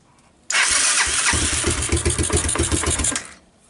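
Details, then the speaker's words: 1986 Honda TRX200SX ATV, abandoned outdoors for years, key switch bypassed, cold start on choke: brief crank, then the single catches and settles into a steady, uneven fast idle; a healthy start, wheels turned. "well I'm pleased so it starts and the wheels turned"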